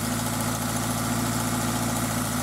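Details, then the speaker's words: Toyota MR2 Spyder with a swapped-in 2ZZ engine at idle: fast, even valve train tick over the engine note, present when cold and fading after a minute or two of driving; owner suspects valve clearance. "so the engine's been making that noise uh pretty much since I bought it and um what I noticed was that it would do that in when it's cold and then after I drove it for a little while really only maybe a minute or two it would smooth out and go away so I just kind of thought maybe it was a valve clearance"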